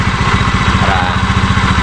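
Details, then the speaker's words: Honda Beat FI v2 scooter, steady idle with a coarse pulsing rattle from the drive side; it was not noisy before, and the mechanic is unsure whether the crank bearing or drive bearing is at fault, still diagnosing; CVT noise. "hindi ko alam kung Crank bearing dri bearing sira pero diagnose natin kung ano talaga yung sira nito"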